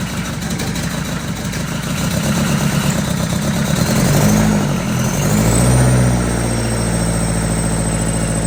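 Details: Freshly fitted, bled diesel engine in a cheap recovery truck starts into a lumpy idle with a rough chopping beat about three to four a second, helicopter-like; injectors refitted after seal replacement were found damaged and knocking.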